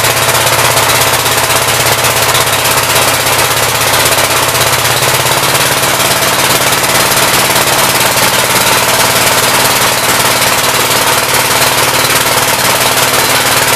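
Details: 1959 Gravely L/LI single-cylinder engine with 20-over piston, oil that drained out mostly water, throttle bumped up: loud busy chatter holding steady about two beats a second, no misses or surging; runs well with awesome oil pressure; normal running.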